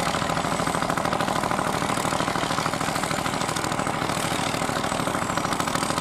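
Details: Vintage Fiat hot-bulb (testa calda) tractor, exact model unknown, ploughing deep at a festival: slow, heavy thump at about 160 beats a minute, even under load. A healthy hot-bulb engine.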